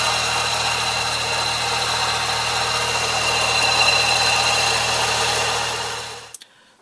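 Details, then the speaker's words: Engine idling with belt-driven accessories: rough, gritty grinding rides over the steady idle without changing; worn bearing in one accessory suspected, power steering pump being checked. "Hopefully in the video you could hear the wearing noise of the bearing in whichever one of these units is actually wearing out and causing that grinding noise."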